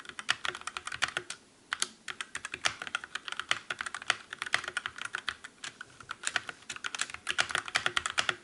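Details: Calibur keyboard with Otemu red switches in a typing comparison against the Motospeed CK62: quick, even keystroke clacks with no springy ping or rattle after each press. Normal, well-damped typing sound.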